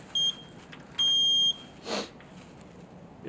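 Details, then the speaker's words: Electric water heater that is not heating, element wires disconnected and meter set to ohms: two clean high-pitched continuity beeps while testing the leads and checking the element and tank ground. "turn this meter to ohms test our leads listen to a b it's beeping checking both checking the ground scratch the tank"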